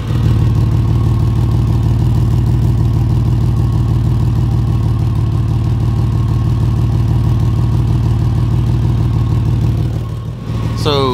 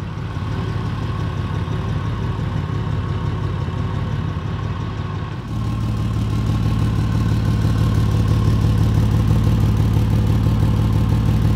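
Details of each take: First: 2004 Ford Ranger, microphone under the car at the leak: loud raw puttering at idle, about three pulses a second, from exhaust escaping just ahead of the flex pipe. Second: 2004 Ford Ranger: after a temporary patch on the leak just ahead of the flex pipe, the idle is a steady, even rumble and the sharp exhaust tick is largely gone. The owner suspects further leaks downstream.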